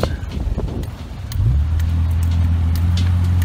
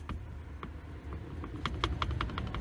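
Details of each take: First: Old Jeep with 256,000 miles after U-joint replacement, test drive with tight turns: engine note climbs smoothly with no crunching, clicking or clunks from the driveline; normal driveshaft operation. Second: Old Jeep drive shaft rocked by hand, on ramps: sharp metallic clicks at each reversal, free play in a worn U-joint needing replacement.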